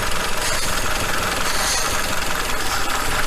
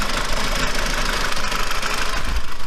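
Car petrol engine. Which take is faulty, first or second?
first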